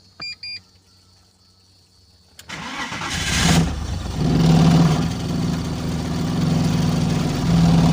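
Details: BMW Z3 engine, long sitting, after swapping coils between cylinders 5 and 6 and tightening a loose 13 mm part where spark leaked: cranks, catches, then idles lumpy and wavering, threatening to stall; misfire, improving with repeated starts.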